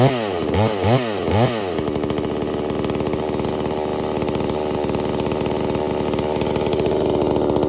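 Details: New Holzfforma G388 chainsaw (Stihl clone) during break-in: after sharp throttle blips it settles into a fast, even idle that runs too high, so the idle speed is to be turned down slightly.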